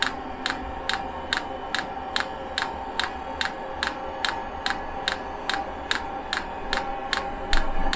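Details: 5 kW all-in-one 12 V diesel heater on pump diesel, restart after a possible failed first start with unprimed fuel line: crisp regular dosing-pump ticks a little over two per second above low fan whir; normal fuel feed.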